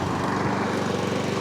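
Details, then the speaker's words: 2021 Mountfield S421RPD self-propelled mower running after the drive fix, where the belt had slipped off the rear pulley because of grass: a steady, even single-cylinder drone with no knocks or rattles, and the drive pulls strongly. "Pulls like a train."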